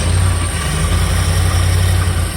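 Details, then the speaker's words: Jensen Healey V8 on first fire-up after new cylinder heads, engine stone cold and warming up, oil burning off the exhausts: a deep, steady burble at cold idle with even firing and no knocks or misses, running cleanly. "It's stone cold the engine still. So, it's still warming up."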